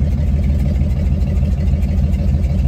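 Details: 1954 GMC 150 barn-find truck running for the first time after sitting, following new plugs, wires, rotor and fuel line: deep, steady low rumble at idle with an even beat and no misses or knocks; normal idle.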